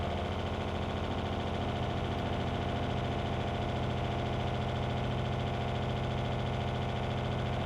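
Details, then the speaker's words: Loud vibrating RV water pump in a Brinkley Z 3100, mounted to the basement ceiling/RV floor so noise reverberates; steady loud buzzing hum with fast pulsing throb about two beats a second, before installing IRVWPC controller. "So what I'm going to do now is I'm going to turn on the water pump and run it so that you can see exactly how loud that this pump is before we install the IRVWPC."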